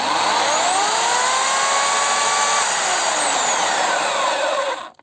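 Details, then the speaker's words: Dnipro-M DSE-22S electric chainsaw, about two months of use: runs normally, then squeaks with falling pitch while coasting down after switch-off; squeak returned after a warranty repair, where a spring was blamed. "то есть сейчас вот меньше предыдущий раз вроде бы больше она скрипела ну а сам скрипт остается"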